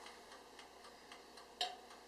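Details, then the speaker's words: Oster TSSTTVCG03 convection countertop toaster oven with turbo convection switched on for the last 5 minutes of baking lasagna: crisp mechanical timer ticking about four per second over a very soft fan whoosh; timer and fan running normally. "You can hear the quiet fan start going with the timer. It's not too loud"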